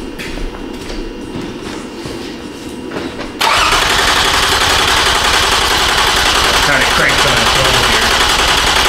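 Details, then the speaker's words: 2007 Toyota Sienna 3.3 with P0340 code, cranked while scoping cam sensor circuit: starter spins fast and even for several seconds but never catches; no cam sensor signal, 5 V reference and ground fine. "I'm gonna put some time on the screen let's go crank this little fella over"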